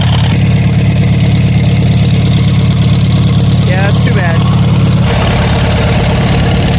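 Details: Farmall 140 industrial tractor, sat in the woods over 10 years, restarted after freeing the stuck engine and valves, on choke with a possibly weak battery and stuck clutch: an uneven, loping idle around three beats a second, misfiring intermittently with no load.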